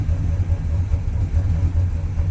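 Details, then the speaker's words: Cheap overhauled engine with used parts, after header collector leak repair, timing and carb not yet adjusted, running a bit rich: low, throaty idle with steady even pulse, no knocks or ticks; sounds good. "i think it sounds pretty good"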